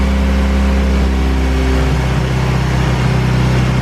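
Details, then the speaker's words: Honda K-series engine with 70mm throttle body and loose throttle cable: steady fast idle that never drops back down. High idle; owner suspects weak throttle-body spring leaves butterfly not closing fully. "i think what's going on is this spring inside of here needs to be tensioned up a little bit tighter um i think the butterfly isn't actually shutting it's not closing all the way"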